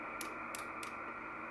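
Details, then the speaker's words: Icom 775DSP HF radio: three sharp quiet clicks over a faint hum, intermittent relay clicking; owner believes it relates to the preamp/attenuator section, stopped after switching it back and forth; unconfirmed. "you hear that little click that's the uh that's what it was doing you could hear it clicking a little bit"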